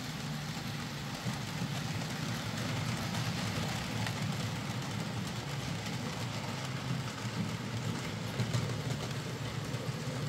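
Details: Hornby J15 model loco, slow and noisy since new about two years ago; after new motor fitted and worm gear regreased, soft even whirr with quiet track rumble, no buzz, hesitation or catching: normal smooth, much quieter running.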